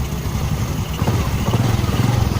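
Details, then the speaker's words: Honda Supra 125 after adjusting the cam chain tensioner with a screwdriver. Steady, even low thumping idle with the earlier tick-tick noise gone. Cam chain now quiet and the engine healthy. "इसे चालू करें। हाँ, अब कोई टेकटीक take take"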